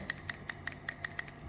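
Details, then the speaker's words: Fuel-additive dosing pump bench-tested on a stabilized 12 V supply with quick pulses: crisp, even clicks about five per second. Each click is one pump stroke, so the pump works normally. "12 volt stabilizowane i szybkimi ruchami to ma być słychać takie cykanie"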